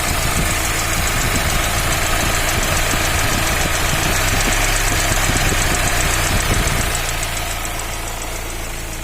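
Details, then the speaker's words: Fiat Uno 1.4 Evo Fire, warm with fan running, head previously removed: steady tapping knock about three to four per second over the engine, rising with revs, then easing at idle. "mas tem um barulhinho aí não é um barulho escandaloso mas é um barulho"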